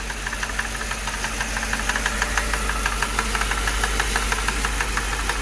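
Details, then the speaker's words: 2006 Mercedes CLS 500 project car at idle: fast crisp rat-a-tat tapping like a drum line, seemingly from one area of the engine, plus a definite misfire; abnormal top-end tap, source not pinned down. "What is all that tap? What is that? Anybody know? That rat-a-tat-tat-tat-tat. What is that? Tat-tat-tat-tat-tat-tat-tat-tat-tat. Sound like the drum line at a football game."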